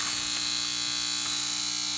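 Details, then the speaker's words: Teletype 33 teleprinter just powered up: loud steady mechanical buzz from the back. "Okay, no power applied. Powering up now. With that loud buzz at the back. Sounds mechanical."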